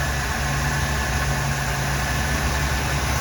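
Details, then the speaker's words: 1975 Oldsmobile Delta 88 Royale V8, cold, after Quadrajet carburetor rebuild, jetted lean, choke not yet connected: rough idle smooths into a steady deep low rumble when the choke flap is held partly closed. "this flap would only be a little bit closed you hear the motor smooth out when i do that"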